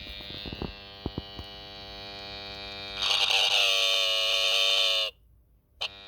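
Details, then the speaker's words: 1978 Honda XL250 barn find from America, ignition on, power seen dipping: horn pressed gives a rough, raspy two-second buzz with no clean note, "it's trying, it's buzzing"; weak horn, cause not confirmed. "It's trying. It's buzzing."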